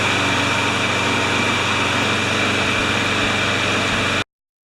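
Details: Briggs & Stratton 6.5 hp flathead mower engine with primer ball and no automatic choke, cold start after three primes; it had started then stalled. Runs smooth and steady with an even, busy drone, then cuts out cleanly, sounding healthy and properly fuelled.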